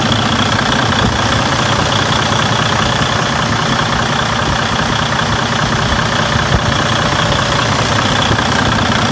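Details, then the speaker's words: Freightliner Cascadia DD15 diesel after cam housing repair and timing reset for an engine noise: steady, heavy idle rumble with an even beat and no knock or rattle, sounds better than before, healthy. "now I'm just going to wrap the enging up there is no weird noises no not in noises"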